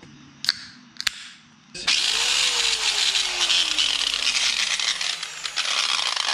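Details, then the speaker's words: Makita angle grinder, about eight years of heavy use, before repair: a harsh, rough, uneven high-pitched grinding roar from the head once it spins up. There is a lot of slap, and the ring and pinion gears are worn and stripped. "I can feel a ton of slap in here it looks like the ring and pinion in this thing yeah looks like the ring and pinion in this is spent"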